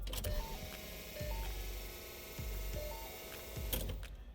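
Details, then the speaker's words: S197 V6 Mustang during low-mount turbo kit install, battery just reconnected: key cycled on and off, short electric whir of the fuel pump with faint relay clicks; pump priming normally to build fuel pressure, car not started. "You turn the key, and you can hear the pump running. You're just going to cycle the key on and off a couple of times."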